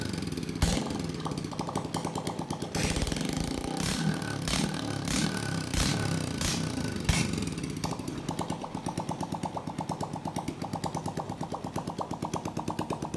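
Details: Honda Biz 125 motorcycle that is also smoking: small single running unevenly with irregular knocking clatter over the exhaust beat at about 90 a minute; abnormal engine noise, cause unclear.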